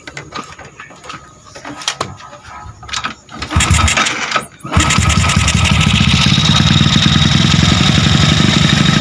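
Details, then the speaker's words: Honda Wave 100 with 53mm block, stock cam to get 6.5 cam, ported head, lightened valve-pocket piston, first start after reassembly: several cranks, fires and holds a quick even idle, quiet, no valve clatter; normal. "Yan, andar niya. Tahimik naman. Hindi mo siya parang makinilya."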